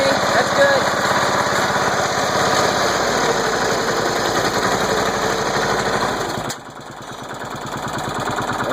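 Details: Small engine's first start after being flooded with mossy water, starter cleaned: runs steadily at a fast, even beat with no misses, then settles lower; running cleanly.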